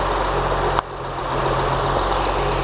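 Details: 2004 Acura TL with a replacement 3.2L engine, after swapping a bad spark plug on the dead cylinder: it settles from a blip into a smooth, even idle, the check engine light is off, and some smoke is burning off. Normal idle.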